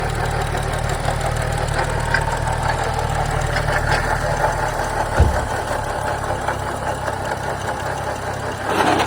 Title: 2011 BMW 335i weird noise coming from engine anyone know what it is ?